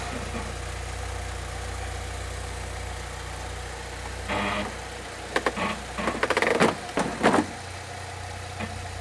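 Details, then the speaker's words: 2006 Saab 9-3 idling on ramps after an oil change: steady, even idle with a smooth low hum, with clatter and handling noises near the end. Normal healthy idle. "so once i started it sounds good to me of course it's you know still on the ramps"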